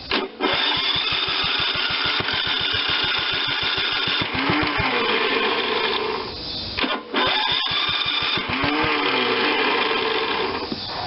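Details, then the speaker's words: Old Ariens rototiller with an electric-start Tecumseh HH70 single-cylinder engine, just revived after sitting a while, throttle near idle: slow, lazy, slightly uneven putter of about three beats a second. Very low idle. "let me turn up the throttle a little bit sounds like i got it on just about idle or something"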